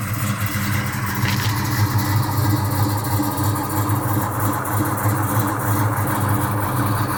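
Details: 1969 Chevelle with a built 350 V8 and Muncie M22 transmission: deep, loping, uneven idle at about three pulses per second, a rough idle with the cause not clear.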